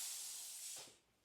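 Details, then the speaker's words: California Air Tools air compressor switched off via its pressure switch: a short sharp hiss of released air fades within a second, an air pressure sound rather than just an electrical click. Normal unloader venting at shutoff. "when I turn it on you hear that little hiss when I'm turning it off it's not just an electrical connection there's also some sort of a air pressure sound"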